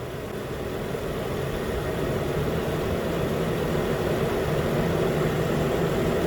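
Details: 2013-19 Nissan Pathfinder at 265k miles, after a new AC clutch and serpentine belt were fitted: AC clutch clicks on, then a smooth, even idle under AC load with a steady low hum and no belt or compressor squeal or grinding; healthy.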